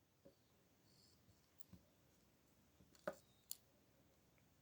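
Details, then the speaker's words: Old three-outlet power strip, with a charger and a TV plug inserted: sparse, irregular sharp snaps and crackles from inside the strip, typical of a loose contact arcing. "şu gördüğünüz taraftan şu şu taraf iç taraftan ses geliyor cızırtı yapıyor"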